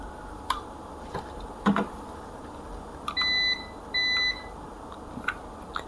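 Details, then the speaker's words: DOL starter thermal overload relay in tripped state, tested with multimeter: two steady half-second continuity beeps with probe clicks, showing the normally open contact has closed. "കേൾക്കാൻ പറ്റുന്നുണ്ട് അതിന്റെ അർത്ഥം നമ്മുടെ എൻഓ NC ആയിട്ട് മാറ മാറിയിട്ടുണ്ട്"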